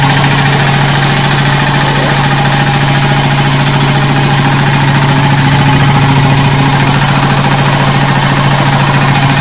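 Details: Quincy 325 air compressor on a Leeson 5 HP 1740 rpm 240V motor, 7.75 in to 16 in pulleys with two belts, pumping a 50 gallon tank toward 125 psi: a steady pumping thump at about two beats a second over a constant motor hum, with no knocks.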